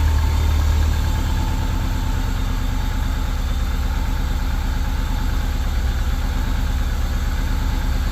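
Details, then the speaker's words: Subaru 2.5RS rebuilt flat-four, first start after reinstall, warming up: even, steady low burble with unbroken rhythm, no ticks or knocks; sounds really good, normal idle. "this thing sounds really good yeah it does holy crap right on sounds really good nice"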